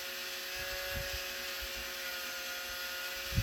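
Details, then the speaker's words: Lemax Giant Swing Ride toy, with the drive motor exposed: steady high whine over a loud even whirr; motor spins fast but is far too loud, identified as the culprit to be replaced. "Yep. That's the culprit. You know how loud that thing is? Jeez."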